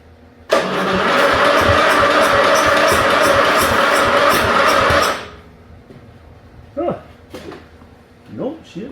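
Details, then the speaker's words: 1974 Dynastar lawn tractor barn find, sat about 30 years, starting fluid sprayed in: starter churns steadily about 4.5 s but never fires, popping back through carburetor; owner suspects low compression or sheared flywheel key; cranks but no start. "could be we just might not have enough compression h Huh she kind of popping back through the carburetor on this thing"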